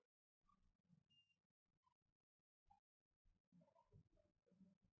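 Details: Dead no-power Wyze Cam v2 board, multimeter in diode mode: near silence, then a continuous beep as the probes touch, showing shorted capacitors. A damaged IC is suspected as the culprit.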